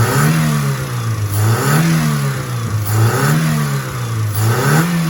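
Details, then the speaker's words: Peugeot 406 after repair for hard starting and compression leak: engine revs rise and fall smoothly, even note with no knocks or misses, temperature normal; runs smooth and healthy. "Ya, itu dia. Wow, halus sekali. Sedang berjalan sekarang, kan?"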